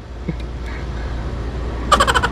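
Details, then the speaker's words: Window-type aircon condensing fan with newly replaced bearing, reinstalled in the unit: low, steady hum with no rattle or bearing growl; fan running normally and quiet. "oh tahimik na siya wala na siyang kaingay-ingay Ayan na Okay na an na siya mga boss"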